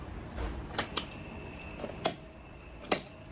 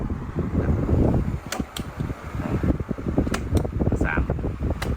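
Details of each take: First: 16-inch wall fan running with its front grille off: quiet hum broken by sharp, irregular clicks and taps from the loose plastic motor cover, which go quiet when held by hand; motor shaft noise already reduced. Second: Thai 16-inch wall fan on speed 1 after the fix: pads fitted at three corners of the motor mount to cut vibration, after oiling the shaft failed. The squeak is gone, leaving a steady fan whoosh, normal running.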